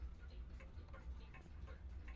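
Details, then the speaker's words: Humpback mantel clock started with a slight tilt after the pendulum bob is refitted: light, even ticks of about two and a half per second, evenly spaced like a metronome, so the clock is in beat. "Then when you do that, you should hear it ticking and it should be a nice even tick. Tick tick tick like a metronome."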